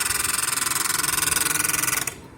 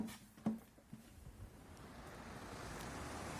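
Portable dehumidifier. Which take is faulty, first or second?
first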